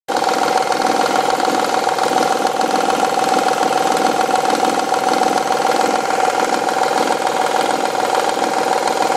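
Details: Honda/Acura V6 idling with steady knock, about three to four a second, seeming to come from rear bank cylinder head; faulty timing belt tensioner, noise goes away when warm and after tensioner replacement.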